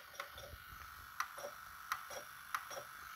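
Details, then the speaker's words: Sharp VC-MH78 VCR, after head drum cleaning and tape guide adjustment, playing a tape in frame-by-frame pause: crisp, evenly spaced clicks about every two-thirds of a second as it steps cleanly, advancing normally. "Oui, je peux faire pause image par image."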